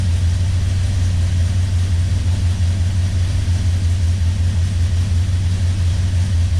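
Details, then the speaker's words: 1971 Plymouth Road Runner 440 big-block V8, stone cold and not started in months, being sorted for ignition timing problems: a steady low rumble at a fast cold idle of about 1000 rpm, good oil pressure, no knocks or misses. "sound bad about that. Really needs to warm up. been stone cold and hadn't started in a few months."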